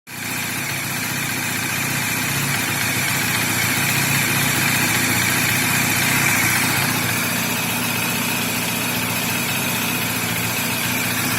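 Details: Bajaj Dominar engine at idle: busy, even idle with a light mechanical chatter on top; steady speed, no knocks or misses; this noise is completely normal for this engine.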